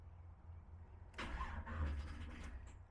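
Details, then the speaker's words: V8 car with a new Aces Killshot Fusion fuel injection install, first start attempt: starter turns over slowly and unevenly and never catches; a battery terminal wasn't tight enough, and there was not enough fuel at the throttle body yet. "Oh. That's my fault. One of these battery terminals I did ain't quite good enough yet."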